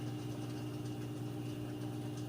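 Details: Like-new Samsung front-load washer with a load, final spin speeding up progressively: steady, even constant-tone hum with no thumping or rubbing; smooth, not off balance, no weird noises, normal.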